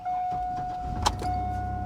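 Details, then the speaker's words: Used auction vehicle at 102,000 miles: a steady chime, a quick crank, then the engine fires right up immediately and settles into an even, low idle. Normal start-up. "Oh, she fired right up. Yep, 102,000 on the clock."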